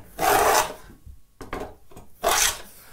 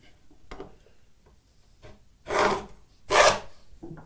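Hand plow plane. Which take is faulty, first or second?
second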